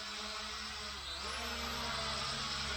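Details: Hubsan H502E GPS quadcopter from 2017, rebuilt with new motors after a burnt-out motor (owner thinks front-left), hovering indoors in a garage; steady, smooth whine with slight wavering as it twitches from losing GPS lock; new motors' ball bearings sound smooth.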